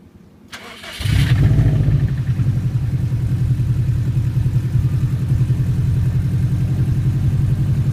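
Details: Subaru cold start in the morning: the engine catches, then a low uneven knock at about three to four beats a second fades after a few seconds; owner suspects piston slap or belt tensioner, unconfirmed.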